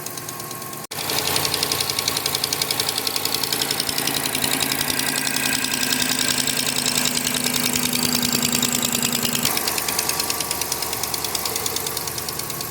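Fast, light ticking over a steady idle, roughly three to four taps a second, suggesting a valvetrain or injector tick; cause unconfirmed.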